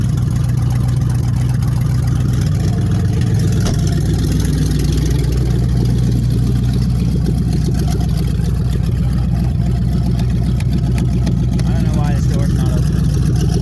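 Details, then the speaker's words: 1994 Dodge Dakota 4WD, 5.2 L 318 V8, A518 transmission rebuilt: exhaust open at the manifolds with the stock Y-pipe off (Flowmaster 40 behind). A deep, loud, lumpy idle with rough exhaust pulses. "Exhaust that's not finished. It's just manifolds right now, but it's got a Flowmaster, the 40 series on the back."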